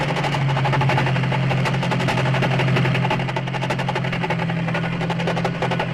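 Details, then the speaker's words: Recording from 1964 for classic cars: actual death of a gearbox, loud harsh grinding over a heavy low drone with rough uneven rapid knocking, ending for good with a broken main shaft; if a gearbox sounds like this, stop immediately. "This is a recording of the actual death of a gearbox. When it stopped, it stopped for good with a broken main shaft."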